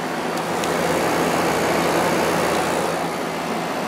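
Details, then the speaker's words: Window air conditioner, cleaned inside and fitted with drain holes, started on cool/low: steady, even rush of fan air over a low constant hum. Very quiet at first, then a little louder. Compressor running normally. "this one is very quiet at first it does get a little louder over"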